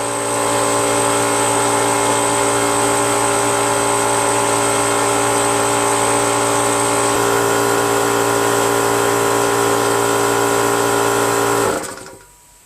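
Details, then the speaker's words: Brute Briggs & Stratton 10-gallon 125 psi air compressor after checking check valve and adjusting pressure switch screw: steady constant pump drone about twelve seconds, then clean shut-off near 135–145 psi, restarting at about 110 psi; cycling normally. "all right so when it got to about 135 on the left gauge and about 145 on the right gauge it shut off by itself"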